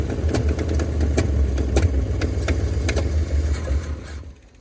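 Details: 1971 Ford F250 truck V8, parked 30 years, first start at -15°C from jumper wire and boost: sharp regular ticking over a rough low rumble; one or two stuck valves suspected; plan to pull valve cover, replace pushrods and free valves.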